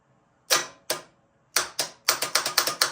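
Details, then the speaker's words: Oldsmobile 400 G big block with a new starter and fresh battery, ignition lead not connected: sharp dry clicks in uneven bursts with no cranking. The starter clicks without turning the engine, cause unconfirmed; the motor turns over fine. "Oh, no good. That's not a good sign. Bummer. Let's see what the heck is going on here."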